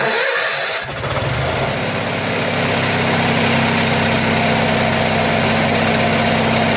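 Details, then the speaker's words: Generator on 1963 GM PD41106 bus conversion, cold start before warm-up: catches and settles into loud uneven run with wavering beat about four per second; owner suspects bad carburetor float. "I think exactly what I thought I think the float was is like garbage because you guys heard that generator yesterday and it was junk"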